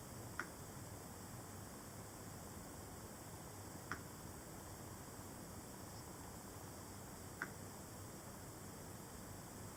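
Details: MacBook 12-inch 2017: three faint, sharp ticks about every 3.5 seconds over a quiet hiss when the laptop is tilted sideways. Ticking also occurs on opening or closing the lid and persists after a screen replacement; something loose inside is suspected, cause unconfirmed.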